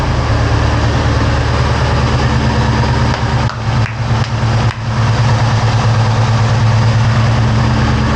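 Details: 2003 Ford SVT Cobra V8, first start after valve guide and seal repair with engine removal and partial teardown; cold, rainy, humid day. Deep, even idle with a low rumble and only brief dips, no knocking or ticking; condensation in the exhaust; motor sounds incredible.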